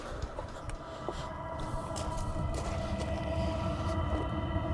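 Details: Cheap diesel heater, first start in the workshop with no bleeding needed and some air still in the fuel line; steady fan hum with fixed tones over a soft combustion rumble; lit and running evenly.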